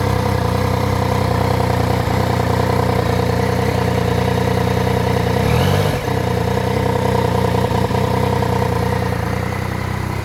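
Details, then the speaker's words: Triumph Tiger 900 GT at about 19,407 km, just after the 20,000 km service (filter cleaned, spark plugs replaced): even idle with a hollow open breathing note swelling on a blip, near the airbox; strange intake noise after service. "vou ligar aqui para vocês verem esse ronco esse barulho se dá para perceber vocês me fala"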